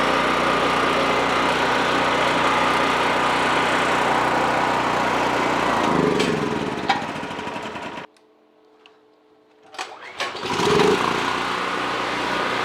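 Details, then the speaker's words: Generac 5500 watt generator not run for a couple of years, cylinder sprayed before first start and smoking at first; once burned off it runs with a steady, even drone under load. Outlets read 125 volts. Normal running. "once it looks like it burned off all that she runs good runs real good"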